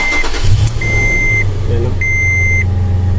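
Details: Toyota FJ Cruiser after an electrical repair for no dash power and no start: the engine catches and settles into a steady, even idle while the dash chime beeps in short bursts. It starts and runs normally.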